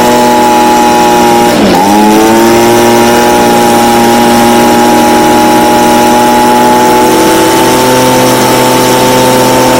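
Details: Stihl BG55 two-stroke leaf blower, formerly no-start, on new C1Q-S68G carburetor replacing a torn-diaphragm carb, during carb adjustment for more power: high buzzy tone dips briefly, climbs back and holds steady at high revs; runs clean and strong.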